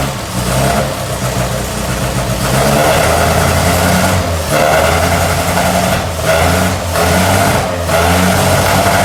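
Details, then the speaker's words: 1964 MG Midget four-cylinder first run after 29 years stored, after new coil, rotor arm, points, condenser, fixed fuel pump, flushed fuel system, new battery; air filters off: catches and revs freely, smooth rise and fall with crisp open-intake rasp; healthy. "Sounds really, really good as well. Obviously we haven't got them air filters on there."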